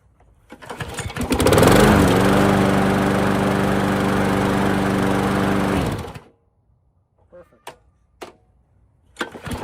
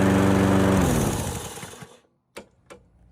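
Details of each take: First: 1990s MTD mower with Briggs & Stratton Quantum engine, after replacing the worn flywheel brake pad that caused grinding at shut-off, starts, runs steadily and cuts off clean and quiet with no grinding. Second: 1990s MTD mower with a Briggs & Stratton Quantum engine at shutdown: a rough, scraping grind while coasting down, from a flywheel brake pad worn to metal-on-metal; the pad was replaced.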